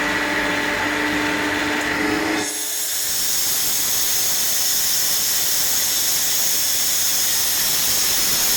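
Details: RENNER RS TOP 7.5 kW screw air compressor, 2013, just under 5,000 hours, regularly maintained with new air/oil separator, oil and air filters: low hum gives way to strong steady air rush; running normally.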